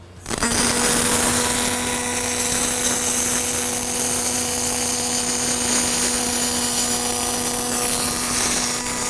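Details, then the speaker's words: Fronius Fortis 270 pulse MIG welding aluminum without push-pull or spool gun: steady even buzz with fine crackle, no pops or sputtering; smooth pulsed arc laying a sound bead. "I love pulse. >> Now we're using the technology."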